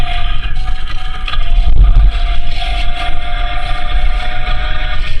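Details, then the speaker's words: Ford Explorer on a lift, rear differential heard via chassis-ear sensor: a steady high whine over the drivetrain hum under throttle that goes away off throttle. Worn or poorly meshing rear differential gears. "so now I know my my gear whine on and off the throttle I'm hearing is coming from that rear diff which is the number four Center"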